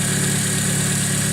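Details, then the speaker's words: 2006 Chevy Aveo just started after its third alternator replacement, before checking the charging voltage: smooth, even idle with a steady low hum and no knocks, misses or whine, running normally. "Alright guys, we got it started up."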